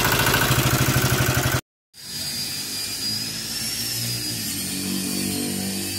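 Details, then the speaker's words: Toyota Avanza after driving through floodwater: a hard, rhythmic knock of roughly nine beats a second under the engine note, from a damaged connecting rod; connecting rod knock. "Avanza ini ada terdengar suara kasar ya di mesinnya teman-teman Jadi ceritanya mobil ini habis terobos banjir katanya"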